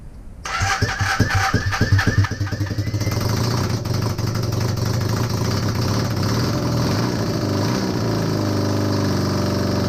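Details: Honda CB250N Superdream project bike, new spark plugs, choke partially closed, after long non-start: catches after uneven chuffs, blips once or twice, settles into smooth steady idle without misfires; finally running.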